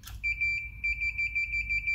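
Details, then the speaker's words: Meter on continuity test, one probe on the power connector earth pin, chassis of a 100 W Mezzabarba Trinity guitar amp with ground loop hum complaints: steady high-pitched beep; continuity, chassis connected to earth pin. "and i'm going to put this pin so this probe on the earth pin of my power connector right and you can see we're all earthed here the chassis"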